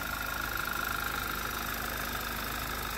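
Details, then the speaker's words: 2011 Audi TT Quattro 2.0T TFSI idling after replacing noisy vacuum pump and HPFP roller tappet; steady idle with faint even ticking and thin high note, no harsh knock; much quieter than before. "i let it run for just a little longer yeah that's a much quieter it may not sound that way on camera i don't know but it is what it is"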